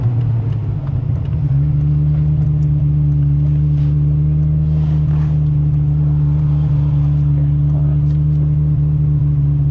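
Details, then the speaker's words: Ferrari 355, owned 15+ years, heated up, idling after it made substantial noises following high-speed runway passes; smooth steady warm idle, even rumble, no knocks, ticks or whine; normal 355 noises, purring, healthy. "Sounds like normal 355 noises to me. Well, it's purring like a kitten."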